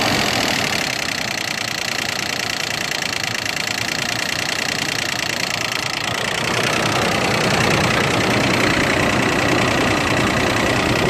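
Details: Toyota Land Cruiser Prado 120 4.0 VVT-i petrol V6 at cold idle: loud diesel-tractor-like rattle with whole-car vibration, stopping once warm; persists despite new timing chain, tensioners, oil and filter and good oil pressure; cause unknown.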